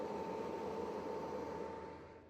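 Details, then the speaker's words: Four Antminer L3+ miners in homemade sound-insulated boxes, after more than 24 hours running at full load: even, steady fan rush with constant high hum, no surging or rattles, about 60 dB versus 80 dB without boxes; normal. "Plus que 24 heures depuis la dernière fois que j'ai filmé et que je me demandais si les machines allaient être plus bruyantes que ça. Finalement, elles avaient atteint leur maximum."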